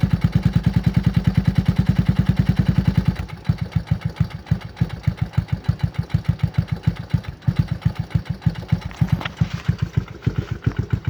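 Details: 1996 Yamaha Timberwolf ATV single-cylinder cold start with no choke, DG exhaust: loud sharp knock on each firing beat at cold idle; owner says it has knocked for years, still runs well with 150 lbs compression.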